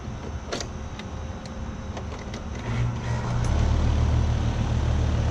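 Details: AC condenser that would not start because its thermostat control wire had been pulled loose, now reconnected. The contactor clicks, then the fan and compressor spin up to a steady low hum alongside other running units; condenser running normally again.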